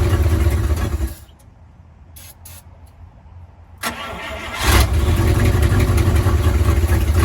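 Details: 1955 Buick Roadmaster V8, sat 20+ years, started from under the hood on a fuel jug: cranks briefly, catches after a pause and settles into a steady, deep, even idle; runs well.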